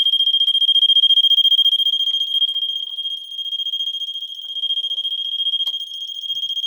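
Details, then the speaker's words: Vulcan MK V1B Autosonic photoelectric smoke detector from 1986, triggered by tester smoke spray: rapid high-pitched beeps, three or four a second, repeating steadily. The alarm works and would not stop until the battery was disconnected. "I had to disconnect it it looks like the only way to turn that off some of them will turn off um eventually with the test spray some of them you have to physically disconnect the battery or it'll just keep going on and on and on"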